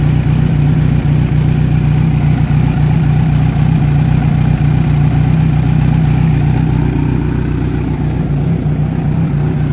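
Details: Kawasaki Z900 on its side stand, heard from the left side of the engine, on XM/E59 oil instead of 5W40: smooth, steady low idle rumble with no cam-chain or rocker ticking; normal idle.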